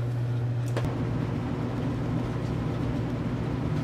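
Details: Two-wire well pump running right after a well pressure tank replacement, breaker just switched on: a steady low hum with no knocking, grinding or surging; it runs normally.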